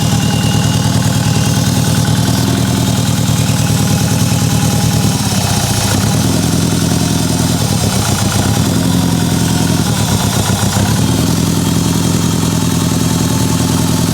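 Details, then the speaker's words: Mitsubishi Evo 8 restoration, first start on a base map, medium-cold, ETS exhaust: lumpy idle with an uneven stumbling beat and a missing pulse; misfire, cylinder 1 not firing, cause (coil, plug, injector or dead cylinder) unconfirmed. "it does sound like we have a little bit of a misfire so before I do more engine braking stuff I'm going to see if I can figure out what's going on"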